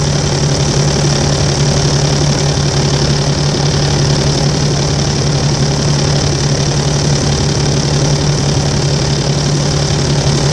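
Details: Volvo 7700A city bus (Budapest) diesel at idle: loud steady idle with a low droning hum and uneven knocking through it; abnormal idle noise, cause unknown.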